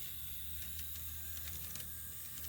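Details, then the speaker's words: Kato Southern Pacific SD7 model locomotive after removing ballast from the gears; motor purrs with light even gear hiss and no clicking, drive now quiet and healthy. "n here and see what it does all right it's kind of quiet"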